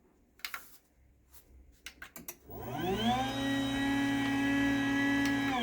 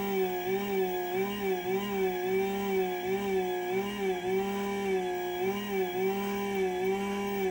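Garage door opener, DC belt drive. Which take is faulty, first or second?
second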